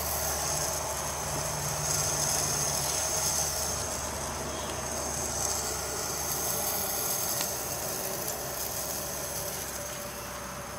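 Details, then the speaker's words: Leak-down test on an engine losing coolant into the valley after an intake gasket replacement, cylinder held at 50 psi: constant hiss heard at the intake, over 20% leakage (about 10% acceptable), coolant bubbling under the intake valve, possible cracked block; cylinder leakage past intake valve. "put at 50 and I hear it coming through the intake we have 10% leakage is considered acceptable if I remember correctly so right now we're at over 20% leakage see if you can hear this coming out of the intake"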